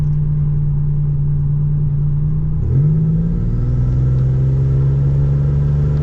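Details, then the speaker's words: 1987 Buick Regal Turbo after a Precision 6262 turbo swap, upgraded lifters and new pushrods; the owner is still chasing exhaust smoke. On about 10 psi boost at perhaps under half throttle, a steady drone rises smoothly with no rattle. The spool is quick, quiet and healthy. "yeah she spools up fast man it's a lot this turbo's a lot quieter but when the build up happens you can you can hear it build up"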